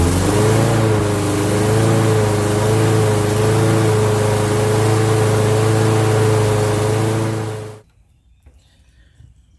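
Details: Toro Recycler mower model 20340 after replacing the carburetor and air filter with an aftermarket kit: steady, even single-cylinder drone at constant speed with a smooth firing rhythm until shutoff; running normally.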